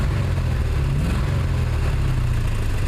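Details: 1979 Chevy truck, 350 V8 with automatic choke: loud low idle with an uneven, stumbling beat instead of a smooth rumble, as if a cylinder drops out. Plugs are clean and compression is sound. The idle misfire's cause is unknown.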